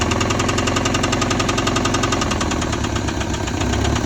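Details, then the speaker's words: Honda Civic petrol engine with a heavy, steady knock from deep in the block, about four a second; rod knock, before dropping the oil pan to replace the rod bearing. "all right so i got a rod knocking uh that's not good"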